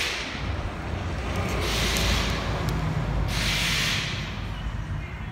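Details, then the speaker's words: Ultrasonic leak detector on an AC system pressurized with dry nitrogen: a loud rushing hiss swells twice as gas escapes at the compressor shaft seal, though the leak is inaudible to the human ear. "this thing is just spraying out everywhere tons of sound the sound is so loud you cannot even determine where it's coming from but with the human ears when you use your ears you hear absolutely nothing"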